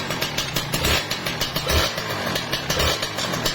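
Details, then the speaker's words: Kawasaki Ninja RR two-stroke after an NPP piston replacement on the aged whitened bore: quick throttle blips fall back cleanly with no piston slap as the rpm drops, tight and solid; the kit may still need setting. "Ini nggak ada halus, ini padat, mantap ya. Mantap, halus, tinggal setel kit mungkin nanti ya."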